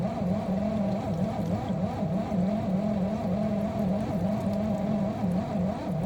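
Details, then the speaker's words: Miele G6625 dishwasher bought April 2018 (about 7.5 years old), filled with water: loud, rough grinding drone with wavering low hum from the circulation pump motor at the bottom of the unit. Filter, spray arms and non-return valve checked clear; owner suspects debris in pump or worn motor bearings. "It definitely does sound like it's coming from the bottom. bottom of the unit where the motor is."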